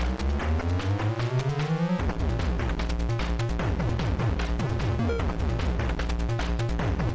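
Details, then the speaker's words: Sinclair ZX Spectrum +2 playing the same AY-chip music for comparison with a distorted +3: crisp, steady square-wave tune with clean notes, no buzz, crackle or muddiness; clean audio output. "Let's try the same piece on a Spectrum Plus 2, which doesn't have any kind of sound distortion."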